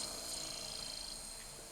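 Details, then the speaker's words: 2006 Sony DVD/VCR combo, DVD drive playing a disc after only cleaning: quiet, high, steady whir as the disc spins up, a little noisy but even, seeking normally; normal operation. "A little noisy, but it's spinning. That sounds like it's seeking."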